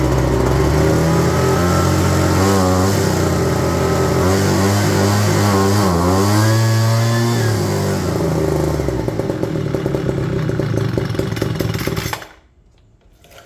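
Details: Homelite leaf blower after tune-up of carb, spark plug and fuel filter: two-stroke fires, revs up cleanly and drops back smoothly with no stumble or misfire before shutting off; runs healthy.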